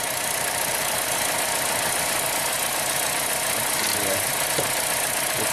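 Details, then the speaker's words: 2015 Chevy Cruze, 80k miles, non-direct-injected, new turbo, P0102 MAF code, idle during cylinder test: uneven lumpy hissy idle running only on cylinders 3 and 4; no spark on 1 and 2, Dorman ignition coil suspected. "cylinder number three yes big change okay cylinder number four big change so it seems like it's only running on three and four not one and two"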